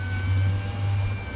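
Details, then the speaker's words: Toyota Highlander after replacing the window motor regulator assembly, window rolled up and down: steady low motor drone through the travel with no catching, grinding or binding; normal power window operation. "Not binding or anything. Sounds good. And whenever you get to the top of the window, let go."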